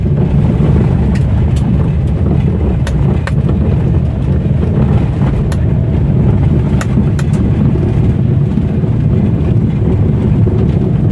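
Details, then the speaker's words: Old-model Maruti Alto driven on rough road; sharp irregular clunks from the front left over road rumble when dropping into potholes, traced to worn front ball joints; lower arm suspected. "Left സൈഡിൽ ഒരു sound ഉണ്ട് നല്ല sound ദാ കുഴിയിലൊക്കെ ഇറക്കുമ്പോൾ നല്ല sound വരുന്നുണ്ട് കണ്ടോ"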